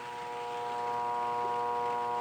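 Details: Mueller clothes spin dryer (centrifuge) motor only hums/buzzes and won't spin, as if lacking power; steady mains hum with no run-up, stalled motor.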